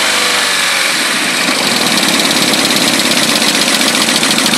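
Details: Nissan 200SX SR20DET at idle: sharp, regular metallic knock that disappears when the cylinder one plug is pulled. The owner guesses bottom end or rod knock, unconfirmed.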